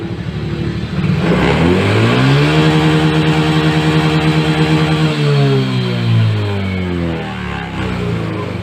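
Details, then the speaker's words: Yamaha Mio J fuel-injected scooter that stuttered when ridden, after replacing the faulty MAP sensor (code 14): full-throttle rev rises cleanly, holds smooth and drops evenly with no hesitation; MIL light no longer blinks, problem fixed. "ya lampu milnya tidak menyala tidak kedit ya kita ulangi sekali lagi kita Nyalakan kontak lampu mil menyala kita start kita gas penuh"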